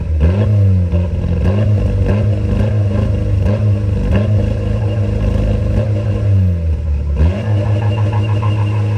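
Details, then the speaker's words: VW TDI diesel, revved repeatedly with the camera at the exhaust: uneven, stumbling pulls with sharp pops on the way up. It misfires and backfires, burning the grass. It idles fine but dumps fuel above 2k rpm; many parts have been replaced and the cause is still unknown. "hopefully you guys hear the backfire and look at there where I was pointing and burned the exhaust I mean the grass"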